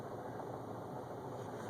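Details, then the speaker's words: MK5 Jetta 2.0T TSI with a new ClutchMasters FX400 ceramic clutch and lightweight flywheel: fast, light tapping from under the car at idle. It stops when the clutch is pressed in; cause unconfirmed. "it just sounds like it's coming from underneath the car almost like somebody's just tapping underneath the floorboard or something like"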